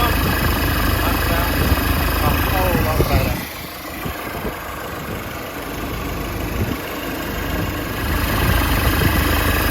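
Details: Nissan Navara diesel pickup after replacing an alternator with a noisy bearing: steady idle with an even beat about 3.5 per second and no squeal, chirp or wobble from the belt drive.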